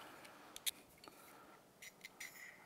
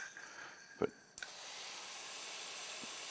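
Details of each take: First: 2015 Polaris RZR 900S running on one cylinder, removed fuel injector tested with carburetor cleaner: short sprays hiss with only a stray tick, no steady clicking; dead fuel injector (not clicking). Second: 2015 Polaris RZR 900S with a dead cylinder: removed fuel injector bench-tested, sharp single clicks and steady hissing spray show this injector works; the other proved inactive.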